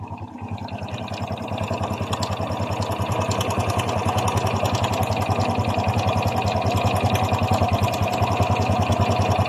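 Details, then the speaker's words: Honda XRM 125 FI idling: fast steady clatter on every beat; mechanic suspected connecting rod, but this is judged timing chain rattle slapping against the cylinder head and block, pending teardown to confirm. "Para sa akin kung ako tatanungin yan po ay tunog ng lagitik ng kanyang timing chin para siyang kumakalansing sa kanyang cylinder head at saka sa kanyang cylinder black."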